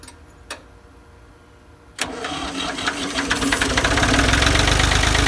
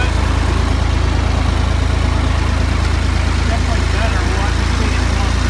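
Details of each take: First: Ford 2000 diesel tractor started on weak battery, running on Diesel Purge after bleeding; diesel catches and clatters with hard uneven knock about three beats a second, smoky; rough running from bad injectors. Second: Ford 2000 diesel tractor running on Diesel Purge to clean bad injectors: steady low idle with an even, unbroken beat and no misses; after the treatment the injectors seem cleared and it runs about normal.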